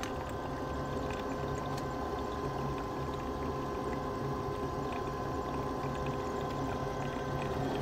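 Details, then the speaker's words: 90% Carrier furnace in a crawlspace with no-heat call: condensate drain pressure switch ticking, making intermittent contact; drain unplugged, backed-up condensate gurgles and pours out of the clogged trap over the furnace hum. "so more than likely that that um condensate drain is just backed up"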